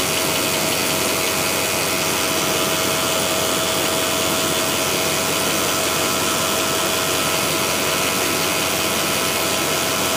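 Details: Jeep WJ at a cold morning start with a constant metallic rattle over the idle, seemingly from the transmission bell housing, gone completely within about three minutes; cause unknown.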